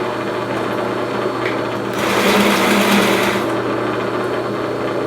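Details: Newly assembled Porter Cable 15-inch drill press with factory-set belts, first power-on: steady motor hum with light rhythmic chatter briefly swelling mid-run as the spindle is lowered; spindle turns smoothly. Normal running.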